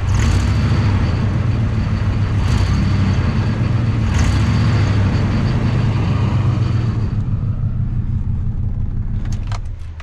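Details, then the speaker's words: Ford F150 5.4 3V V8 with cam phaser and timing chain problems, possibly in fail-safe mode: uneven, lumpy idle with a rattly undertone, dying away; owner suspects a failed cam phaser and possible knocking, not confirmed. "that sounds to me like a failed cam phaser and I I can't really hear over the rough exhaust now but I wonder if I can hear knocking as well"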